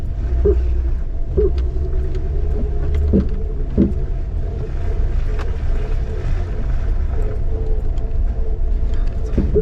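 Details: Jeep TJ with 2-inch JKS suspension lift and 32-inch tires on an easy off-road trail: short, sharp squeaks at uneven intervals from the rear over a low drivetrain rumble. The cause is a bad shock absorber, later replaced.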